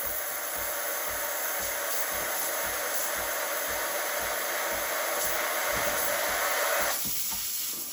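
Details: Breville Barista Express BES870 after seal replacement: loud, steady steam hiss over quick pump pulse about four beats a second until shut off; pump at full, strong pressure, healthy steam.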